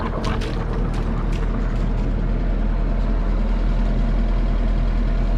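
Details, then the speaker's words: Inboard engine on a 1978 Islander Bahama boat after three weeks of work, about 1600–1700 rpm, warming up, about 30 psi oil pressure: deep steady drone with even pulses, no knocks or misses; normal running. "good on fuel turning about 16 1700 RPM oil temperature or excuse me water temperature engine temperature is coming up I've got about 30 PSI"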